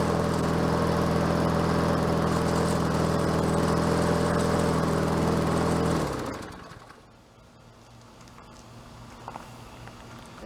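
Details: Bolens 22-inch self-propelled mower with a Quantum engine, first run after getting it going, self-propel cables seized: runs smooth and even at steady speed for about six seconds, then winds down and stops; running normally.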